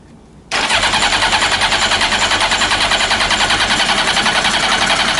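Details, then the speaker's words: Old Honda CBR900 Fireblade (carbs; complaint is backfiring) on full choke with a spritz of carb cleaner: the starter spins the engine steadily at about three beats a second, with slight encouragement but no firing; a crank-no-start from fuel starvation. "So there was a little bit of encouragement there. See if we can do any more."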